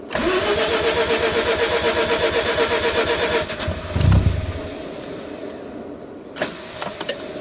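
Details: Mazda RX-7 rotary with a hard-start problem, restarted after plugs were pulled and a paper test came out clean, raw fuel smell: starter whirs about three seconds, then a rough uneven catch into a shaky idle; rough hard start.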